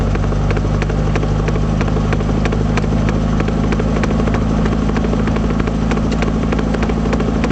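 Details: 1978 Triumph Spitfire rear knocking while driving: sharp rhythmic clicking knocks, two to three a second, over a steady low engine drone, caused by a failed passenger-side rear axle universal joint.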